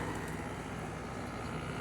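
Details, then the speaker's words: LG 6000 BTU window air conditioner just started, recorded from outside facing the compressor: even, steady fan whoosh over a low compressor hum, no rattles or squeals, normal running. "There it is, up and running."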